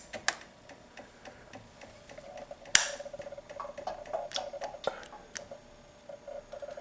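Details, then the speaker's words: Honda Ruckus scooter with starter problem, starter itself tested good, relays swapped: only dry, uneven clicks with the key on and no starter spinning; suspected bad relay or wiring fault, not confirmed. "get nothing so either one of the relays is bad which on the shirt it's too much electrics or somewhere down in these wires"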